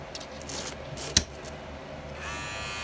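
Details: Wahl clipper with premium red guard after bending the guard's metal tab: after a few handling clicks, a steady, even high buzz with no rattle, as the guard now sits snug.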